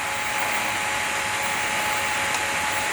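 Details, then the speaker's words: MRCM/Vevor drill bit sharpener, run a few seconds to warm the bearings, grinding the tip to change a 118-degree bit's angle. A steady high grinding hiss over a constant motor whine; not yet sparked out. "you hear it spark out, or you hear it no longer making grinding sound. You just flip it over."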